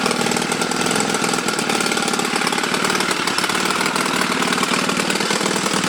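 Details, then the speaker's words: Chinese Honda Rebel 250 clone single-cylinder after repairs: loud, raspy idle with sharp, rapid ticking and chuffing from exhaust leaks at the head, left unfixed because the engine's exhaust screw holes are broken. "It has some exhaust leaks but I couldn't fix it because the screw holes in the engine were broken. So it will be loud."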